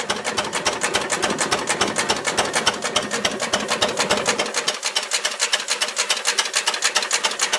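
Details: Ruston Hornsby PR, about 1926, horizontal single-cylinder petrol-paraffin engine, on petrol after leaning the too-rich mixture, apparently first start in 5 or 6 years: crisp, even ticking about three and a half beats a second, steady rhythm; normal idle.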